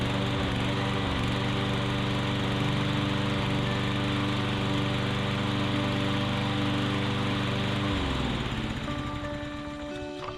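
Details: Lawn mower after fuel flow fix (carb jet cleared, SeaFoam and carb cleaner) and oil left to drain back: smooth even beat at steady speed, then shuts off and coasts down quietly; healthy run.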